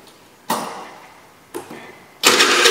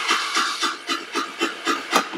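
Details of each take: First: Chinese GY6 scooter, previously crank-no-start with no spark, after ignition fix: a couple of cranking attempts, then it catches and settles into a steady run without misfires; normal running. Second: Chinese GY6 scooter with no spark, new carburetor, CDI and ignition coil fitted four months earlier: starter whirs in steady pulses about four a second with no firing; cranks but won't start.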